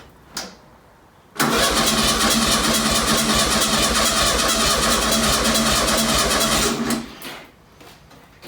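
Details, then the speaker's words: 1966-67 VW Beetle 1500 air-cooled engine, first start after long storage on new fuel, recorded indoors: brief crank, then it catches at once and idles steadily with no misses and little smoke. Holed exhaust makes it extra loud; needs new fan belt. "Listen to that. That's alright actually. Not much smoke. The exhaust has got holes in it which is why it's extra loud and it's indoors."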